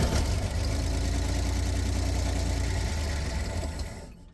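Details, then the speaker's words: Rare Chevy G10 van sat in dirt for about 25–29 years, cylinder 1 with no compression and 4 and 5 dead, bottle-fed fuel after spraying; uneven, lumpy idle with loose irregular beat of three to four pulses a second before dying; sounds dry, rough idle. "she sounds uh interesting um it sounds dry for sure so I'm going to bottle feed her and keep her running for a while"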